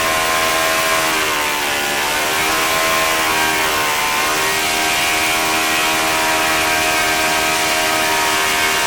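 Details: OS FS-40 Surpass four-stroke glow engine, first run after new bearings and teardown clean, Enya No. 3 plug, 11x6 prop: high smooth buzz dips briefly then holds steady high pitch at full speed. Normal running.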